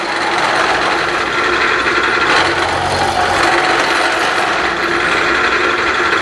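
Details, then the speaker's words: Milling a fixture plate to dimension with a Niagara cutter, harsh rasping uneven cutting noise with a shrill buzzing edge throughout the pass; milling cutter chatter leaving chatter marks. "you know you can see obviously and you could hear it with the chatter marks"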